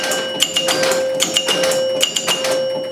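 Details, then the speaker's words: Gottlieb Top Score (300) pinball machine after fixing sluggish score reels: crisp bursts of reel clicks and chimes stepping evenly without dragging; score reels now advance properly, normal operation. "look at that yay um so i'm very pleased with that it looks like i managed to get it working"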